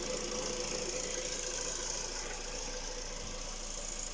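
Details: Skoda Rapid 1.6 CFNA 105 hp petrol engine at idle: light, fairly regular knock about three times a second over a steady hiss; owner asks what is knocking, source not identified.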